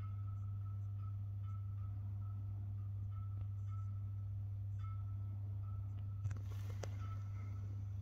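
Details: First-level stairwell light in an apartment building, recorded with a GoPro: low mains hum with faint irregular ticks and a brief crackle as it flickers; buzzing flickering fixture, cause unknown.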